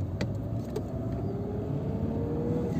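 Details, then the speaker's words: Peugeot 206/207 1.4 that knocked when pulling away in gear, fixed without replacing parts by pressing the clutch pedal further: smooth, even engine rumble on pull-away with no clunk as the clutch bites. "o masadaki vites attıktan sonra kalkış yaptığımızda sıkıntının olmadığını görüyoruz"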